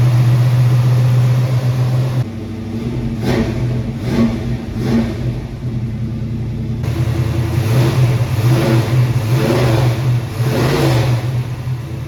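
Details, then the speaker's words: 1968 Cougar with freshly swapped 347 roller V8, break-in revving after first start with oil leak believed fixed: deep burble climbing through repeated throttle blips and dropping back smoothly, even and healthy; loud but started fine. "Loud. Huh? Loud. Started up fine."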